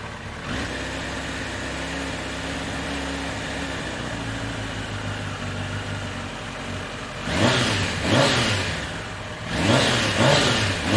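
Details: 1993 Kawasaki Concours, sat unlicensed for about two years, checked for hydrolock (none found): smooth steady idle then two clean quick throttle blips that rise and fall freely; the four runs healthy.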